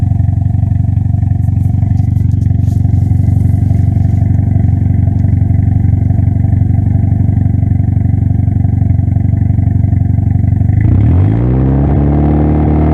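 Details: Toyota ST205 engine: deep uneven thrumming with a steady stumble at about three beats a second, then a sharp rev rise near the end; misfire, cause not confirmed.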